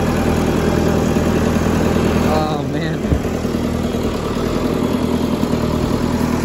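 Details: John Deere 555 crawler bulldozer, 20+ years old and long parked, just started after a new battery; steady, even diesel idle with a low rumble and no knocks or misses, running healthy.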